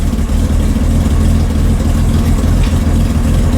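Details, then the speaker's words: Corvair after a cold valve adjustment (one valve clacked on a test drive): loud, steady, even idle with no ticking or clacking. Normal idle, though idle speed still needs readjusting. "okay here we go we're running and we aren't clacking"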